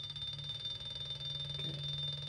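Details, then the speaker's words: Rewired three-phase washing machine brushless motor (24 ceramic magnets, 36 stator posts) on a simple transistor driver at 35 volts: quiet, smooth hum with steady high electronic whine; runs slightly quieter and smoother, same speed, no torque gain, easily stopped by hand. "so it's a little bit quieter. Still running about the same speed for 35 volts. It's still relatively easy to stop it with one hand."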